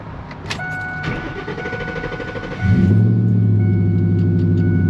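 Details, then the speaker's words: Coyote V8-swapped truck back together after the swap. Starter crank, then a deep, even burble with no knocks or misses; sounds healthy. "Sounds healthy."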